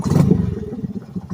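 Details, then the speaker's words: 2020 Honda Grom, stock ECU fed by an inline wideband emulating the narrowband O2 signal, running about 13.3–13.4 AFR, slightly lean: a single sharp exhaust pop off throttle as the thump dies away. Cause suspected, not confirmed. "oh that little pop though hell yeah that's how you tune an ECM"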